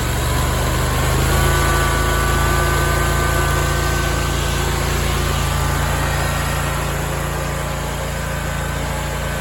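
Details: Big Dog Stout mower engine after fitting new welch plugs to cure two years of surging at low idle with no load, now idling at an even, unchanging pace with no rise and fall in speed.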